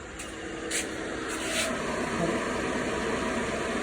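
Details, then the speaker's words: Mazda 323 A/C condenser fan just replaced and switched on for testing: steady, even rush of air with smooth fan hum, no rattle or scraping; normal fan operation. "මේක හයි කරගෙන fan එක අපි on කරලා බලමු වැඩ කරනවද කියලා."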